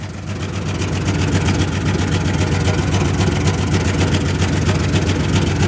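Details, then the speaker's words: 1996 Jeep Cherokee at 131k miles, after a loose fuel-filter clamp was tightened, with two injectors possibly not working: steady idle with a rapid puffing, ticking chuff over the low rumble. Leaky exhaust, no gas leaks. "no exhaust or no no uh yeah leaky exhaust but no gas leaks"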